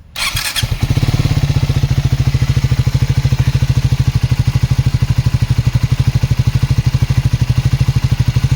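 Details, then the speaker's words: Triumph Speed 400, one year old, after second service: starter whirr then single-cylinder idle with fast steady tick over low thump; ticking grows above 60–80 km/h, dealer calls it normal, source undetermined. "यह sound जो है जब मैं गाड़ी को 60 से ऊपर लेकर जाता हूं या 80 पर लेकर जाता हूं तब ये साउंड बढ़ जाता है और स्टार्टिंग पर भी इसमें एक आवाज आती है किट किट किट की"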